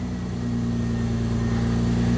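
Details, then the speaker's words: 1999 Honda Accord V6 with almost 280,000 miles, down two weeks with a crank-no-start the owner suspected was an immobilizer fault, now fixed without parts. Needs a little throttle, then settles into a smooth, even idle with no knocks, misses or hunting while warming up. "fire in a hole well it'll need a little throttle this thing's probably uh hasn't run in a while"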